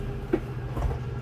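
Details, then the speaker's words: 2022 Super Lite 212FB travel trailer slide-out motor: steady low electric hum while slide moves; brief gear grinding at full extension is normal, signalling the motor has reached its limit. "And then once you hear that little gear grinding noise, you know you're fully extended. Do not be afraid, that is normal."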